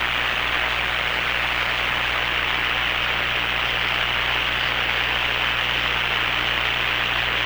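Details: Hammarlund SP-600 receiver after power-supply filter electrolytic capacitor replacement, line voltage raised from 100 to 117 V: even, steady static hiss with a faint low hum, which the owner suspects comes from the audio hookup; normal receiver hiss.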